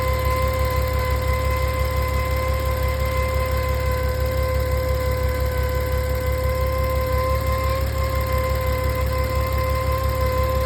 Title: 2016 VW Touareg V6 whining noise Pt2